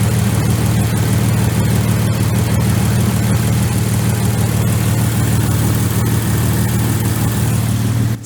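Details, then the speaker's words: Jeep TJ engine after 15 years sitting, with a new alternator, serpentine belt and fresh fluids, warming up until the thermostat opens: a smooth, even low idle with a faint light tick, similar to another TJ at 90,000 miles. It sounds healthy. "pretty good to me. There's a slight tick, but I remember other one sounded like that, too."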